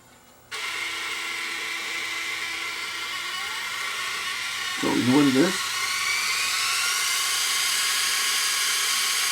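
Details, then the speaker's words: Sony DSR-11 DVCAM deck, underside exposed, in fast forward: thin steady high squeal; owner suspects the capstan motor, though reels are driven by a separate reel motor, source unconfirmed. "was it capston motor or what what's making that racket could be the capston motor I guess"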